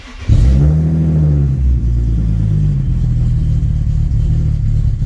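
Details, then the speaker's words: Nissan 370Z, starting now every time, catches quickly then settles into an uneven, stumbling idle with irregular pulses; a second problem is heard, and low fuel pressure is still unresolved. "and you can hear that there's a second problem, but now the car starts every single time."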